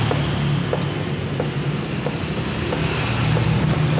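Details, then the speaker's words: Motorcycle front end rocked with the front brake applied: dull single clunks about every half second from a loose steering head bearing, before adjusting the top locknut. "jadi seperti itu suaranya cukup seperti itu ini komstir gendur ya"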